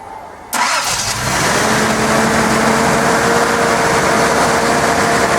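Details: Nissan 280ZX after replacing fuel injectors: quiet lead-in then fires instantly into even steady idle, no misses or knocks; oil smoke from drips on headers.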